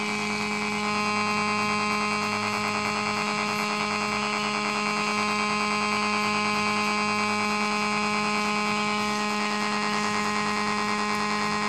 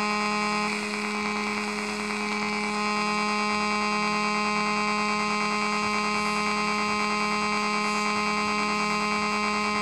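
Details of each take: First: Homemade AC-powered AM transmitter next to a multiband AM radio: when switched on, a loud steady buzzing mains hum swamps the radio, the signal strong enough to overload the receiver. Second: Homemade AC-powered AM transmitter, heard on an AM radio: a steady, even buzz; the 485 Hz background oscillation is nearly gone when fully tuned.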